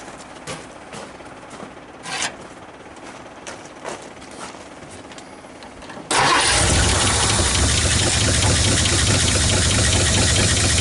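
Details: 1959 Ford Fairlane 500 Galaxie, first start in over 20 years, last registered around 1977: cranks, then the V8 catches and idles roughly with a steady, fast tapping; knock source unclear, engine said to need flushing.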